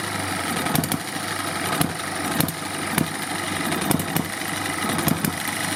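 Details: Eachine ET1 upgraded hit-and-miss gas engine, carburetor needle screw one-quarter turn out: sharp firing pops in spaced bursts with quiet coasting between; running as it should.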